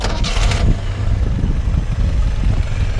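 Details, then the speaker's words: 1971 Datsun 510 wagon with upgraded L20 engine and 200SX 5-speed, already warmed up: catches quickly on the starter and settles into a steady low idle with no misses or knocks; runs nicely, no smoke. "run real nice [Music] really nice running a little little car doesn't blow smoke or anything like that"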